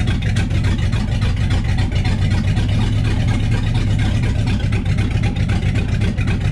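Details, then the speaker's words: Freshened-up 1966 Ford Galaxie 390 FE V8, in neutral after restart, distributor recently moved: slightly lumpy, uneven idle, running but rough; ignition timing not yet dialed in. "all right she's not dialed in perfectly but she'll run to get around the yard"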